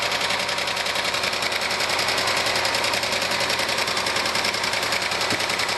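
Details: 1997 Argentine Renault Clio engine at steady idle, valves already adjusted: fast light tapping three to four per second; one mechanic says piston skirt slap needing a rebuild, others blamed clogged oil breather or oil galleries; unconfirmed.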